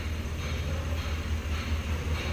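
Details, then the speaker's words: 2014 Ford Raptor 6.2L, crank no start: steady, low, evenly pulsing crank that never catches; fuses 78 and 27, fuel pump driver module and BCM connector investigated. "2014 Ford Raptor 6.2 liter. Cranks, but it won't start."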